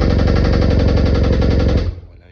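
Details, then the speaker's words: BMW R nineT flat-twin motorcycle, right-side connecting rod problem: fast hard metallic knocking on every firing pulse until shutoff; connecting rod knock, engine to be replaced. "on revient sur cette ny vous aviez pu entendre avec un souci de Biel côté droit donc on va avec la corord du client remplacer le moteur parce que ce sera beaucoup plus sécurisant pour lui que de refaire"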